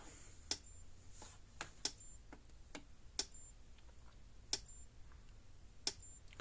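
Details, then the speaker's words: Premier 1 Hotshock 1000 fence charger, repaired after a badly burned board, clicking with crisp single ticks about every 1.3 seconds in a quiet room, light flashing; pulsing normally. "You hear it clicking along. You can see the little light down there flashing."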